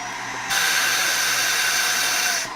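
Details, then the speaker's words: Sanitaire/Shark upright vacuum with no suction: a sudden loud hiss of escaping air over the motor for about two seconds as the spring-loaded suction relief valve opens because the hose is clogged. "And so if you ever hear that little sound, it sounds like air is escaping, that's what's going on. You got a clog."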